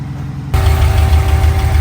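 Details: Car just fitted with a 700R4 transmission swap and a new rear main seal, after a no-start: the engine catches half a second in and settles into a steady, even low rumble with no knocks or stumbles, a healthy idle.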